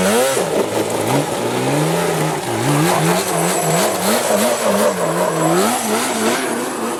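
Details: Yamaha Banshee two-stroke after fixing clogged carburetor jets (it previously ran then died, leaked fuel, wouldn't restart): crisp revving rises and falls cleanly with throttle, no stumbling or dying; carburetion healthy.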